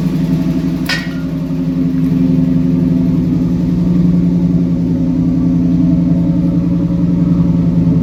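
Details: 1998 Pontiac Firebird Trans Am after fuel pump reconnected and distributor timing adjusted (timing had been out); smooth, even run with steady low drone, no misses or knocks; normal running.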